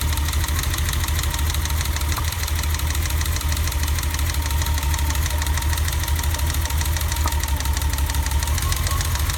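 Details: BMW E30 at idle after a new distributor cap and rotor: a deep, uneven, stumbling idle with irregular dips in the exhaust pulse. The misfire persists and its cause is unconfirmed.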